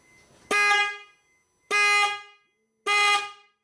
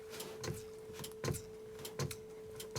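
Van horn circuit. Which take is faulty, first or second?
second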